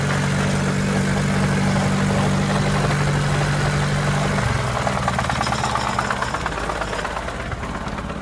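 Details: Turbo VAZ 2104 at idle then revving: regular knock about three per second over the engine note; chain fine, tensioner new, valves adjusted twice; knock source undetermined.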